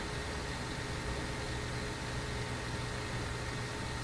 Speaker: This one, where it is right now, we can hear it hissing. Kind of sounds like an FM radio between stations, but not quite.